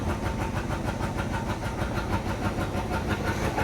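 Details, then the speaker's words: 1968 Chevy Caprice V8, sat about 20 years, cold just after first start: rough, lumpy running with an uneven chuff about three per second, badly missing. The fuel pump then stopped, so it seemed to be running out of gas. "Maybe the choke's starting to work. Boy, she's still missing out really bad."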